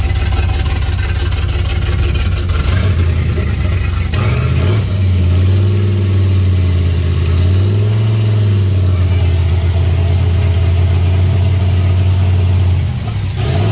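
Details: 1989 turbo Fox Body Mustang, cold, after installing a Melling high-volume oil pump and re-stabbing the distributor: the idle hunts with an uneven, lumpy beat and feels like it's missing. Oil pressure drops to about 30 even before it warms up; the cause is unknown.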